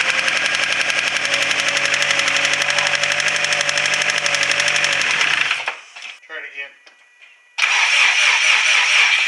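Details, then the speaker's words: Subaru WRX STi engine: starts and idles with a severe rapid ticking about four per second audible all over the engine, then loses rpm, dies and is restarted; cause not yet known. "so as you saw and heard it it starts up okay it seems like it idles okay it's got a severe ticking noise in it and then it keeps losing rpm and dying so not sure what that's all about"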